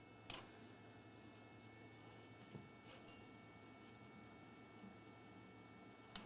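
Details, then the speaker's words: Elegoo Mars 2 Pro resin 3D printer printing: faint scattered sharp pops every couple of seconds over room hum as layers peel off the FEP sheet; normal layer peel. "oh i can hear it just popping off that fep sheet"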